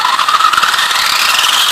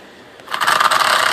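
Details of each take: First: Traxxas Stampede RC truck with stock sensorless brushless motor, a smooth whine climbing quickly and holding high before spinning down, no grinding or cogging; very fast at speed though it severely cogs at low throttle, as the ESC cannot sense rotor position. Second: Stampede RC truck with sensorless brushless motor at crawl throttle: rough rattling clatter with a buzzing whine, then lurches like a popped clutch; motor cogging at low speed.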